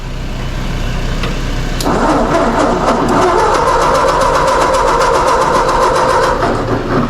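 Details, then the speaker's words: Mazda 3 or Nissan car on a very cold day, steady rhythmic starter cranking at about three to four beats a second that never catches; the engine won't fire. Owner suspects it may be flooded. Crank, no start. "Still nothing, huh? Sounds like she might be flooded."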